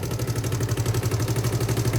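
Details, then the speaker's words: Suzuki Hayate 125 automatic scooter at idle after its failed carburetor was replaced with a Dash carburetor and a new air filter: an even, steady putter with no knocks, misses or hunting, sounding as normal as before. Normal idle. "เป็นปกติเหมือนเดิมนะครับสำหรับเสียงเครื่องยนต์นะครับเราไม่ต้องไปโฟกัสฮะ"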